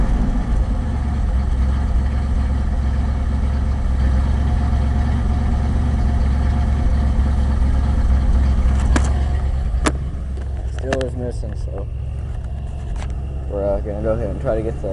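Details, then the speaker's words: Ford F-100 with remanufactured Motorcraft two-barrel carb, cold start around 65°F, warmed toward normal temperature: low uneven loping idle with cylinders dropping out, misfire at idle. "carb adjusted as good as we can and we plug some wires still sucking there that's bad though"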